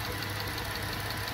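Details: 2012 Dodge Charger, 220,000 miles, with a misfire complaint, running after compression testing with the coils back in: steady idle with light, even injector ticking about six a second and no stumble for now; misfire returns with vibration, connector suspected.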